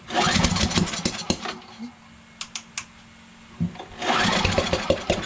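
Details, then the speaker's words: Briggs 550EX auto-choke push mower, with spark confirmed and brake cleaner in intake on choke; fast pull-cord cranking, about four chuffs a second, not catching: cranks but won't start, owner suspects timing off, possibly sheared keyway or valves. "yeah it seems like the timing's off that could be the valves see that we're getting a spark for sure but the timing is off"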